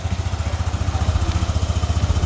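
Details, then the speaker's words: Yamaha NMAX V1 scooter after replacing the exhaust rocker arm, in the afternoon: an even, steady single-cylinder idle with no tapping or rattle. The earlier rattle is gone and the valvetrain sounds healthy. "Yun. Yan mga sir. All goods. Wala na yung kalansing na kanina."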